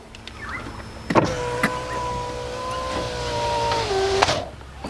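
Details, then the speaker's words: Abarth 595 Competizione power window closing after window visors were fitted: a steady motor whine for about three seconds that drops in pitch as it labours, with the glass pushing against the back of the plastic visor. "it does push against the back side of the plastic and it does make that annoying noise you can hear the load as it wants to push up against there"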